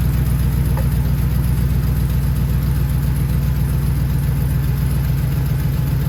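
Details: Truck started after an easy repair with the coolant topped off, possibly overfilled and coming out of the overflow: a steady, even low rumble at idle with a regular beat and no knocks, misses or hunting. Normal idle.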